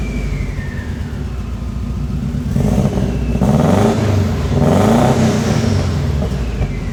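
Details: Subaru WRX with STI engine swap starting, shooting flames: uneven stumbling idle rising roughly through two throttle blips; misfire, bad injector suspected.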